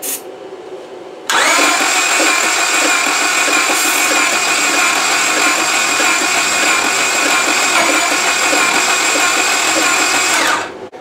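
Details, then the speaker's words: 2002 Honda Accord, sat about two years, new fuel pump, fuel at rail, ether sprayed: steady fast cranking for about nine seconds with no firing; skipped timing belt tooth suspected, not confirmed. "I just popped the fuel line here at the fuel rail and their fuel did come out it's still not kicking over we sprayed a bunch of ether down the tube so we're wondering what's going on"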